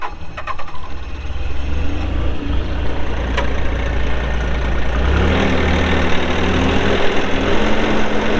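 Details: 2019 Bobcat S450 skid steer diesel, 1,941 hours: short crank, then fires and picks up to a deep, even idle with no knocks or misses; healthy start.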